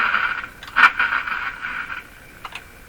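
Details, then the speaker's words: Sears Silvertone model 3351 five-tube radio at first power-up, about 103 V: steady tone broken by short scratchy crackles while tuning the dial; suspected a rubbing or shorted tuning capacitor or its grounding contacts, unconfirmed. "Because here you can hear it picking up noise signals. Somebody's rubbing somewhere, and then looks like it's gone."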